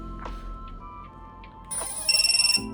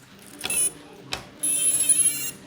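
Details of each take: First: Quadcopter ESC startup beeps, sharp high-pitched electronic tones over background music, heard after reassembling a DIY waterproofed drone (silicone-sealed air unit, reapplied thermal paste); normal startup beeps, everything working. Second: Idle quadcopter after a waterproofing build and flight test: high, thin beeps repeat as its water-damaged ESC stack resets itself over and over; afterwards it won't arm, one motor won't spin, OSD flashes.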